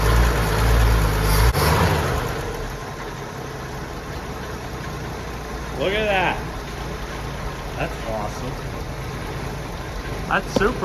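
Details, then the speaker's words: 1971 Ford F250 unrun 22 years, fuel added to the carb, started cold: lumpy idle with a steady low thump, three or four per second, and a low rattle; owner concerned about the engine noise, hopes warming helps. Rough idle, cause unconfirmed. "I'm a little concerned concerned at the engine noise that it's making but hey let's uh fire it up and see what"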